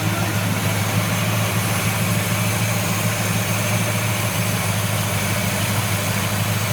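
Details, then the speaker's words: 1970 Buick Wildcat V8 with Quadrajet carburetor at tune-up: steady, low, smooth idle rumble that rises as the mixture screw is adjusted toward the sweet spot, engine running happier. "so you hear the Idol coming up yeah and I'm adjusting it yeah it's liking you it's happier with it our Idol is Raising higher now so we can close this a little more"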